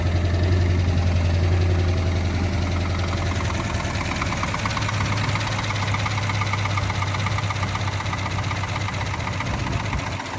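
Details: 1972 Plymouth Duster big-block six-pack V8 at first start after auction, 65 psi oil pressure, not charging, smoking oil; deep lumpy, uneven rough idle, cause not pinned down.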